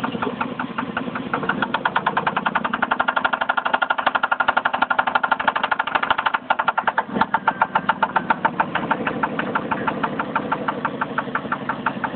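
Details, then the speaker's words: Jeep 4.7L engine at idle: quick, light, uneven tapping about two to three per second, from the front passenger side near the oil fill, ahead of cylinder one. Owner suspects timing belt slap; not confirmed. "The sound is right here in the front. But see, it's not coming from the cylinders cuz here's spark plug number one and it's it's in front of that. So front of this got to be the timing."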